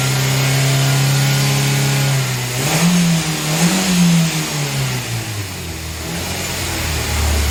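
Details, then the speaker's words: Nissan Grand Livina after tune-up with engine cleaner and cleaned EGR sensor, held at raised revs to purge cleaner residue; steady raised speed, blipped twice and settling back, smooth with no knocks or misses; normal revving. "Tinggal kita hidupkan dan kita gas RPM 2000 supaya bekas-bekas engine cleanernya itu semua terangkat semua keluar ya."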